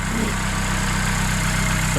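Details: Vauxhall Corsa in the garage on a freezing, snowy day, restarted after a replacement starter was fitted. A smooth, even idle with a steady low hum and no misses, knocks or starter noise; the engine sounds healthy.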